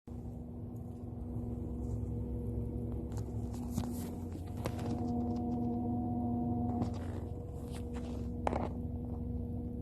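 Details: 2005 Toyota Vitz with a steady low hum over the engine idle while sitting in gear; heard driving, stopped at lights and in reverse, but not in park; cause unknown.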